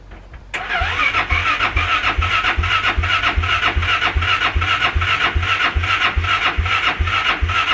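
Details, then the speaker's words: 2014 Polaris Sportsman Ace 330, fuel injected, battery on a charger, full tank of possibly old gas, fuel pump heard: starter labours slowly at about 2.5 turns a second, never catches, no exhaust smell; weak battery suspected. "i don't smell any exhaust any fuel anything coming out of tail pipe so these are fuel injected i can hear the fuel pump running i got a full tank of fuel it's probably old gas but it is cranking slow"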